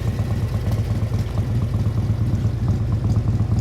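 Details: 1957 Harley-Davidson FLH Panhead tank shift with sidecar, factory race-ported heads and race cam, low original miles, original paint: deep, loping potato-potato idle around two beats per second, steady and even, no ticks or knocks; healthy.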